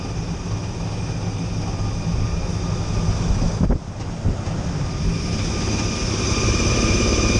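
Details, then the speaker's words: Rooftop kitchen exhaust fan on startup, a steady fan roar with thin high-pitched tones growing as it speeds up; tech suspects it needs greasing at the Zerk fitting, unconfirmed. "She hears a high-pitched sound, and you can hear when this thing started up. There's definitely a high-pitched sound."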